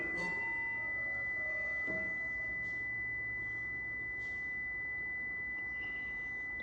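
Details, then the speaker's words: Prevost bus (Marathon conversion) brake warning buzzer: continuous high-pitched tone while brake pedal held, parking brake released; sounds anytime brake pressed or parking brake released, a diode is thought to be back-feeding, not confirmed. "okay that warning sound the alarm is very annoying it's coming from this we looked at the diagram on it it anytime you step on the brake it goes off or if you have the parking brake released it goes off"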